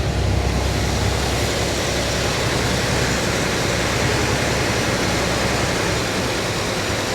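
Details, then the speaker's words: 1952 Chevy Styleline old six after replacing the pump-to-carb fuel line and cleaning fuel pump top and carb needle: low, even idle rumble with no knocks or misses, outdoor noise around; fuel then leaks from the carb bowl again. "that sounds pretty good there"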